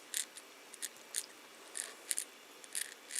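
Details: AC220V 50Hz A60KTYZ 60RPM synchronous gear reducer motor (14W input, 70mA) gripped and stalled by hand: sharp little clicks about once a second, unevenly spaced, over near silence; clicking internally, owner thinks it's the board inside, low torque.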